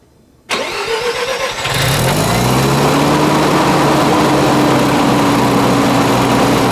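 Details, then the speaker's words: FC3S Mazda RX-7 Turbo II rotary, first start after sitting for years, with the fuel system redone and the idle set screw adjusted. It cranks, catches and settles into a smooth, steady, buzzy idle without hunting. Normal idle. "Boys, we have an idling rotary. I think I need to adjust the set screw down a little bit, but maybe I need to add a little bit of set screw."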